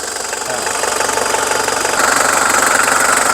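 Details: Mitsubishi Strada 2.5 diesel pickup, registered 1997 with a 2005 front conversion. The idle clatter is steady and even, about four beats per second, with no misses or odd knocks. There is no white smoke, it drives long distances normally, and the seller says the cooling system is fine.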